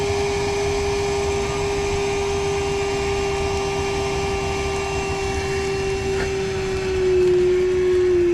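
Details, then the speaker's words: Battery-powered motor clearing a heavily clogged AC condensate drain line: steady whine at fixed pitch, dropping slightly lower near the end as the battery dies. "Battery's dying. You can hear it."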